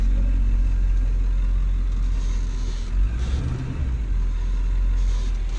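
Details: Ford 7.3L diesel that had a no-start, traced to a deteriorated fuel heater shorting to ground and blowing fuse 30 (EBP valve, WIF sensor/fuel heater): steady low rumble with a brief rev midway, even without stumbling; normal running.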